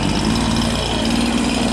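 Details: Husqvarna 365 chainsaw reported low compression after new piston and cylinder, no load: steady high-pitched full-throttle scream with slight burble, no dips or surging; healthy, slightly rich tune.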